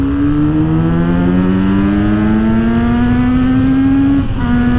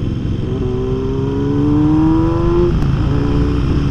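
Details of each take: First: Kawasaki Z900RS inline-four with full-system exhaust, opened up on a bridge while riding: clean rising howl climbing smoothly through the revs, quick shift, then backing off; healthy free-revving classic sound. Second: Kawasaki Z900RS inline-four with swapped exhaust, untuned, riding and downshifting: revs rise then drop through the gears with sharp crackling pops on overrun.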